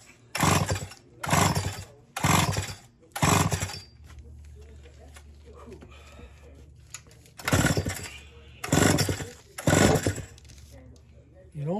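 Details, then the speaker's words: Roughly 40-year-old Poulan S72 chainsaw with a 6-foot bar, bought new and never before fuelled or pulled: seven quick rasping cord pulls in two sets with no catch or pop; cranks but won't fire, and spark is to be checked next. "almost sounded like it fired on the other two, but no more choking. Oh, I didn't hear it fire."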